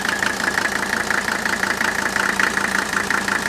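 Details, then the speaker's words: Mercedes OM617 turbo diesel, over 400 psi compression per cylinder, idling with an even, sharp combustion clatter about three beats per second and no metallic knock; healthy ignition knock. "It has the highest compression of all these engines, well over 400 pounds per cylinder, and that's probably the reason it's fast, and it's the reason why it has this unique sound at idle."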